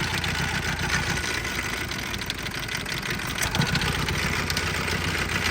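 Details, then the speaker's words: Auction Isuzu 4HE1 four-cylinder mechanical diesel on stand: uneven lumpy idle, irregular beat, one cylinder down, smoking and oil from crankcase, later starts running away; rough idle with dead cylinder. "so see I just noticed on me tell's got a cylinder down start smoking on one on one because it's sucking from the crank"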